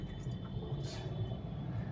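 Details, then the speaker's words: Diesel vehicle under way at speed: a steady deep rumble, smooth and free of knocking or ticking. "ಒಳ್ಳೆ smooth ಇದೆ ಇದು ಗಾಡಿ"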